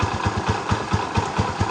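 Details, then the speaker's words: Barako 175 single-cylinder motorcycle, previously noisy, hard to start and lacking power, after all timing was corrected: starts on one kick and idles with a steady, even thump about four beats a second, no misses or rattle. "So yan yung resulta mga bro no pag naitama natin lahat ng timing, naibalik natin sa tamang condition, makina."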